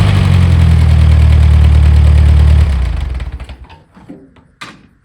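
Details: Allis Chalmers D15 orchard tractor, freshly revived after long storage: smooth, steady low idle for a few seconds, then shut off, coasting down cleanly; engine sounds healthy.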